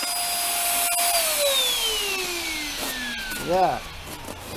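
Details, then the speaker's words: Hoover Air Steerable (WindTunnel) vacuum, warm day after earlier cold start: rushing hiss with high whistle sliding down as motor winds down, whistling from top; hose found plugged, no suction. "i'm gonna today uh start it up and uh see where the plug is in the hose because it whistles off the top here"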